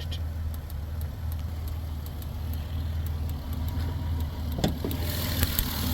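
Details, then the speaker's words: 2008 Dodge Grand Caravan with code P0301 (cylinder 1 misfire): uneven idle with a stumble and sharp snapping ticks about four a second. Spark seen glowing under the hood suggests arcing. Engine misfire at idle. "I can actually hear the misfire."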